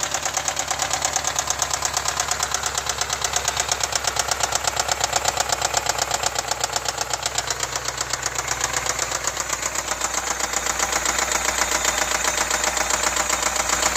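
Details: 2010 BMW X5 4.8i E70, N62B48 V8, 64k miles: idling with a fast, sharp knock of about four beats a second riding over the engine; cause unknown.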